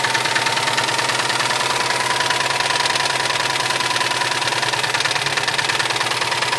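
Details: Subaru STI engine at idle: sharp rapid metallic knocking, about three per second, over a harsh running note; later found to be a melted piston.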